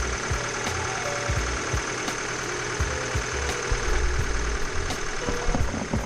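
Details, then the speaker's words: Honda Civic project car, after DIY refit of the stock air box: even steady idle with soft low throb, no intake roar or hiss, quiet again; normal idle. "So, okay na. Stock na ulit siya. Ano maganda, diba? Tahimik na ulit."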